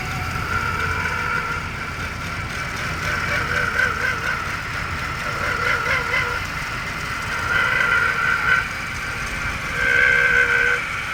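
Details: 2002 Jaguar X-Type 3.0 V6 idling, mic at the suspected engine-bay spot: steady high whine with recurring warbling chirps every few seconds; ribbed belt and rollers replaced with no change, cause unknown.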